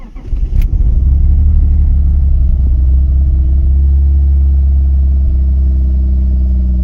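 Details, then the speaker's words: 1996 BMW E36 328i after installing new MAF sensor: catches at once and settles into steady even idle with no stumble or hunting; much better than with old MAF. "I think it's running better now with the new MAF. Much better."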